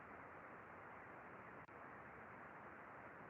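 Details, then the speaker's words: Ultrasound recording of the good bearing on a crane cable reel, heard before the faulty one for comparison: steady even smooth hiss with no knocks, ticks or crackle; normal bearing. "gente olha a diferença entre um mancal e outro por favor primeiro mancal bom"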